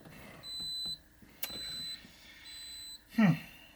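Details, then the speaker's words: Citroën XM 3.0 24V barn find, first start attempt: three even high keypad beeps, about half a second long and a second apart. Guessed codes (owner's birthday, postal code) all failed, so the immobilizer rejects the entered code. "Unfortunately, none of them worked. I think I have been sitting inside of here for a lot of hours, just random pressing in numbers and trying."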